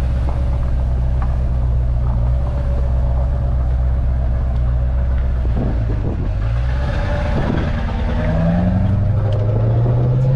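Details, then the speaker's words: LB7 diesel truck with a lope tune on the road: deep, steady drone pulling up smoothly through the revs with no miss or stumble; normal running. "Oh yeah. Oh, and this thing's got a fancy lope tune. That's sick."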